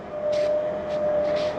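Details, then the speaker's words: 2024 Sierra 4003MB trailer, stabilizer jacks retracting before hitching: steady mid-pitched electric motor whine without wavering, no grinding; normal jack operation. "that's completely out of the way going to bring up our stabilizing Jacks see them coming"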